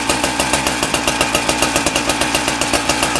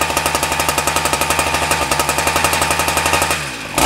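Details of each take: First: Husqvarna K970 concrete saw two-stroke after engine rebuild and carburettor adjustment: runs on a fast crisp even beat with steady pitch and no misses; normal running, though clutch drum bearings were then found worn. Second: Husqvarna K970 concrete saw two-stroke after engine rebuild/replacement for no compression: fast rattle that sags and catches twice, revs won't hold steady; carburettor adjustment needed. Cause suspected, not confirmed.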